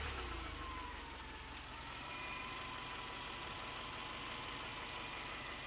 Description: Engine rod knock on a 2005 Subaru 2.5rs with 100k miles.